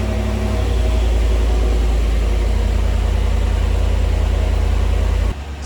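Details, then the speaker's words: 2019 Cadillac Escalade ESV 6.2L V8 after replacing spark plugs with factory AC Delco plugs at 97,500-mile maintenance; steady even low rumble, no misses or ticks, running nice and smooth: normal idle. "it's running nice and smooth as you can hear."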